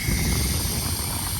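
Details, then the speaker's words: Idling truck with a trailer just picked up: thin steady hiss over the engine rumble as air leaks from a very loose air line fitting on the trailer. "দেখবেন বাতাস দিব, দেখেন leak করবে। আওয়াজ শুনিয়েন আপনারা, এই শুনেন আওয়াজ, হিসিং নয়েজ শুনতেছেন?"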